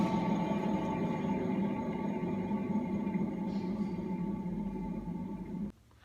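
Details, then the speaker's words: BMW E38 wheel hub bearing spun by hand gives a gritty, droning hum with a rough pulsing texture, then stops abruptly; the bearing is worn and faulty and should be replaced. "ребята когда у вас в машине такой шум значит у вас закончился один из подшипников желательно бы конечно же его поменять вот так вращаются неисправный подшипник"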